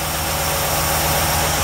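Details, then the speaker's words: 383 stroker V8 in a Chevy truck, not fully warmed up, idling at about 850 rpm: steady, even low rumble with no knocks or stumbles, a smooth healthy idle; small cam. "it's not quite warmed up yet but fill up on the Bastile use the idols down around 850 or so"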